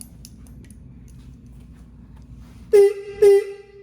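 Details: 2004 Ural Tourist sidecar motorcycle with an upgraded horn: two short, loud, low-toned blasts about half a second apart, strong and clean; the horn works properly.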